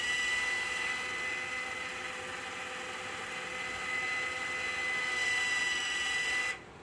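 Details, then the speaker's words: Pro-OX 5900-BT iron filter control valve at startup, regeneration started from the app with water still on bypass: thin, steady high-pitched motor whine for several seconds, cutting off cleanly as the valve reaches backwash; normal. "And you can hear the valve go into the backwash."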